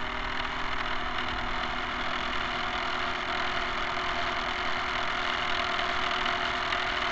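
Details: Electric drive of a camera barge on its first test run: steady motor drone with a rough, rattly clatter throughout. Noise from dog-bone motor-shaft couplers, to be replaced with flexible hose couplers.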